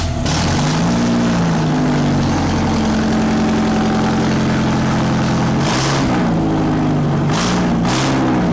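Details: Nissan Micra swapped to an Audi/VW 1.8 20V turbo, first start after coil packs, injectors and grounds were refitted: it runs unevenly, revs hunting and blipping erratically; rough running, and the engine won't shut off with the key, owner suspects ECU wired to permanent 12V.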